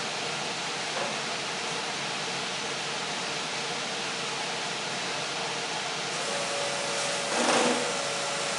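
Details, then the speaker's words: 1967 Ford F100 Ranger pickup, towed in with electrical issues: a steady, airy whir of the electric fuel pump priming with the key on and the engine not turning; pump running normally. "It's working the pump."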